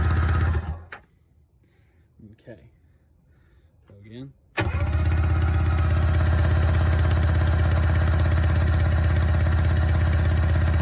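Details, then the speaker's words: 1994 Sea-Doo SPX, sitting since 1996, after spraying WD-40 into cylinders for possibly stuck rings: steady, even cranking drone about three beats a second after a short pause; normal cranking. "now let it sit for a second and crank it over"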